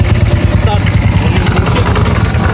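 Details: Honda TMX155 single-cylinder motorcycle at busy idle before overhaul: fast, even clatter over the thump, loudest mid-engine near cam follower, push rod and tappet screw; timing gear also suspected; worn valve guides and loose crank bearing.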